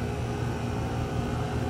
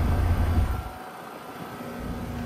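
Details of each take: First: 2018 Goodman GSZ14 2-ton heat pump outdoor unit: condenser fan gives a steady low whoosh and hum with no compressor drone underneath; suction line at no temperature; compressor not running, only the fan, cause unknown. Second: 2025 Trane XR14 1.5-ton R-410A heat pump, February 2025, recently started up: steady low hum with airy fan rush that dips and builds again, no rattles or squeals; running smoothly and working well.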